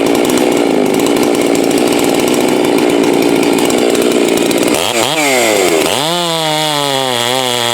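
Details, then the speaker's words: Farmertec 54mm chainsaw cylinder build ("Farmer Jones") cutting in test-and-tune session: loud ragged cutting note, revs surge and wobble unevenly coming out of the cut; irregular running under load, owner predicts ignition about to fail, unconfirmed. "That 54mm Farmertec that I had running, usually when it sounds like that, I had one do this before, that ignition's about ready to crap out on me."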